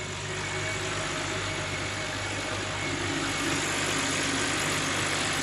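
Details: Used car inspection, engine idling with the bonnet open, listening for whistling or ticking; smooth, even idle with a steady low hum and nothing unusual, the engine sounds healthy.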